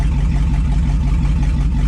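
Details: 2002 2500HD parts truck on old gas; over 40 psi oil pressure, alternator charging, no check engine light; deep steady V8 idle, even pulses, no tapping or stumbling; healthy.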